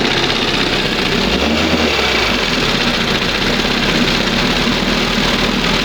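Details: 1971 Johnson 20 hp outboard after mixture and idle stop screw adjustment, throttle cam at first mark; steady even idle with smooth hum, no stumbling or surging; normal idle.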